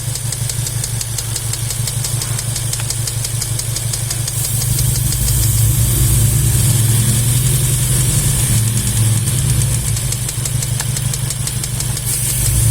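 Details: VW Golf 7 R engine at a steady idle with a fast, light clacking tick, roughly three per second; an internal engine knock whose cause is not yet confirmed.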